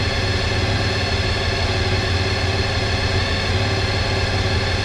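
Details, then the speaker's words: Honda RC30 VFR750R recommissioned after years standing, carbs freed, cold first start on choke: busy even idle held high and steady; owner suspects throttle stop screw unset, running a bit fast. "Bit of choke, not sure on the throttle screw yet, might be running a bit fast."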